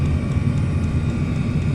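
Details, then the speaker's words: Chinese diesel heater with a 5 m extra-long 22mm copper exhaust, about two minutes after start: low even rumble with soft regular puffing, nothing harsh or irregular; normal running. "the diesel pump as it starts up can be a bit annoying that uh the ticking noise"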